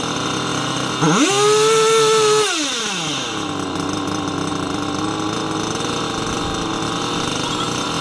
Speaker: remember last time we tried to tune this thing we cut it it wouldn't even hold a tune I guess that's super common for these Chinese carburetors